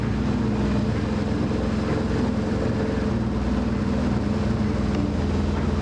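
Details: 2004 BMW R1150RT, 34,000 miles, started after a new main battery: engine runs smooth and even with a steady low drone, no knocks or misses; normal running.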